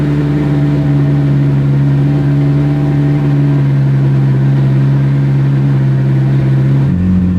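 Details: Ferrari 458 V8 after exhaust leak and secondary air repair, MAF sensors still suspect: steady, even drone stepping up cleanly on a blip, with no ticking or puffing from the exhaust side.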